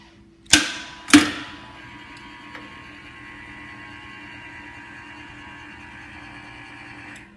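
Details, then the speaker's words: Maxon Series 5000 shutoff valve, side panel removed, opening cycle: two sharp snaps as the solenoid pulls in, then steady motor hum that shifts frequency as it pushes against the return spring, cutting off cleanly after about six seconds; normal opening. "so when we review how that valve open we heard a snap and that was the solenoid pulling in at the same time we heard the hum of the motor and that hum changed as soon as the motor started pushing against the return spring it changed its frequency"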